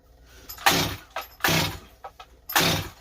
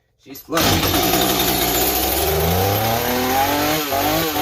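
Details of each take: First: Stihl 025 chainsaw rebuilt with new Meteor top end, carb low jet adjusted: three rope pulls each giving a brief sputter, never catching; owner suspected bad carb and it sounded flooded, actual cause fuel starvation from blocked tank vent. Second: Stihl 025 chainsaw rebuilt with a new top end, first run after a bad gas cap O-ring: two-stroke fires up and revs cleanly, pitch rising and falling smoothly with throttle blips; runs properly.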